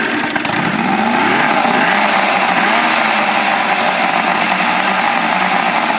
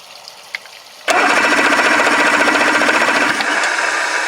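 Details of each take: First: 1984 Grady White Overnighter 20 outboard, freshly mounted and running on the water hose; three two-barrel carbs fed by a fuel distribution block that leaks while running. Steady, even buzz with no misfires, rattles or surging: normal running. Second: 1984 Grady White Overnighter 20 outboard with three two-barrel carburettors, fuel leaking at distribution block, water hose on: fast steady starter whirr with rapid even clatter, never catching; cranks but won't start.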